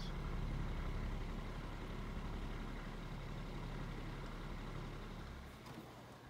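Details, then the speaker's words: Galaxy 12-inch table fan on low/medium speed humming with a rough, grumbling rumble; it makes a big bearing noise on lowest and medium speeds even after oiling, and sometimes needs pushing to start. "make a big bearing noise on the lowest and medium speed and it kind of bothers me sometimes at night - even if I owe it a lot it will still make that bearing noise"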